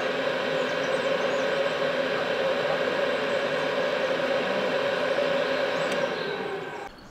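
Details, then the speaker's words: Cheap Chinese diesel night heater from eBay after shutdown, still very hot: even whirring fan with a steady mid-pitched hum that winds down near the end. The glow plug comes back on, which the owner thinks burns off excess fuel. Normal cooldown fan run-on. "so as you can hear it's now just cooling down it's still very hot the fan will keep going for some time just to make sure everything really has cooled down"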